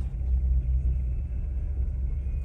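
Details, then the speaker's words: 2016 Chevy Cruze 1.4L Ecotec turbo, run low on oil, reduced engine power message: deep, sporadic idle that lurches and shakes violently; camshaft position timing codes, VVT solenoid and camshaft sensors damaged. "it sounded terrible there it is man this thing is island some serious has a sporadic idol to it look at that i mean it's not as pronounced as the camera showing i feel that it's shaking violently"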